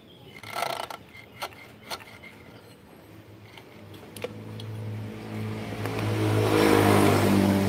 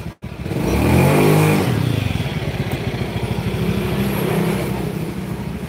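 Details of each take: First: Honda Beat scooter CVT: scattered knocks at low revs, then a rapid clattering rattle when the throttle is blipped. The drive belt also squeals. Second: Honda Beat scooter after replacing CVT rollers and slider pieces (worn roller housing): revs up smoothly and settles, drive pulls evenly with no belt squeal or roller clatter; normal CVT operation after repair.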